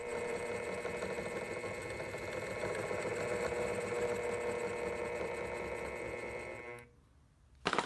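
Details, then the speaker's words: Bridgeport mill 6F power feed on first test after gearbox and electronics reassembly: steady motor whir with a fine, fast chatter, then cuts out; gear not meshing with the motor pinion. "Something isn't quite right here. The gear is not meshing with the motor pinion."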